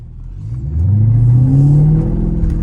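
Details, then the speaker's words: Mercedes SL500 V8 with the mufflers removed: revs from a low burble to a deep, loud, aggressive drone, quieter than an SL55. "that sounds good man really aggressive really aggressive I like it not as loud and boisterous as the SL55 but I like this tone better honestly"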